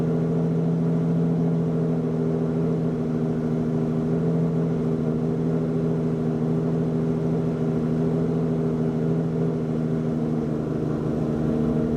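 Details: Lamborghini Diablo VT V12, a garage find, idling after it kicked right over: a smooth, unbroken low hum with a steady pitch and no knocks or misfires; an even, healthy idle.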